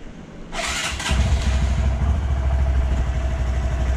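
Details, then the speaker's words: Wrecked 2018 Honda Grom being rebuilt, first start after fitting a new battery (old one read about 0.1 V) and checking oil: short crank, then the single catches into a steady, even low thump; starts and idles fine. "sounds good I did check the oil just make sure before we started it"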